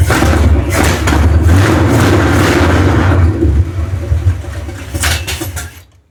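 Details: Dodge 400 big-block V8 in a 1970 W200 Power Wagon, after head gasket repair and cleaning out stuck valves and mice, on old oil: fires and runs with a deep, fairly steady rumble for a few seconds, then shut off; running again.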